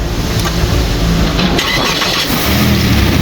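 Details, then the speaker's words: Gazel truck with swapped-in Kia Carnival 3.3L V6 petrol engine and automatic gearbox; engine catches quickly and settles to a steady even idle, no knocks, misses or rattles, normal start and idle. "Motorimiz ishlashlariga gap yo'q. Ideal. Zavat bo'lishlari."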